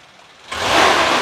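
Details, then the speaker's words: 1995 Suzuki Carry Futura Real Van, engine described as in good condition: quiet, smooth idle, then a clean, quick rev rising smoothly with no rattles, metallic knocks or ticking; no exhaust smoke, engine sounds healthy. "Nah dari digeber juga masih bagus"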